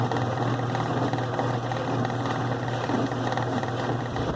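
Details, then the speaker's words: 2005 Kenmore 70 Series direct-drive washer running in slow/delicate mode: a thin high whine and rough hum from the drain pump, suspected dirty inside; the noise stops with the pump removed. "este problema puede ser la bomba del agua que está Ardiendo el ruido creo que está sucia por dentro"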